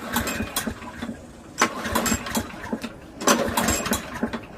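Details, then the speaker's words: Briggs & Stratton 7HP Platinum series lawnmower, gas and spark confirmed, slow weak pull-cord rasps with no catch; low compression (35 PSI) from an unseated exhaust valve, later ground to reach 60 PSI. "When we pull the cord very slowly, it feels like there's not enough compression."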